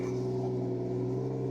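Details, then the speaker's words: 2006 Lincoln MKX just after engine and transmission reinstall, fresh oil, antifreeze and power steering fluid, first start: smooth, steady hum with even low drone, no ticks or knocks; normal idle, owner noted possibly a little exhaust leak. "say she sounds damn good oh yeah that's another good running one man I love to hear it man when the [ __ ] goes smooth"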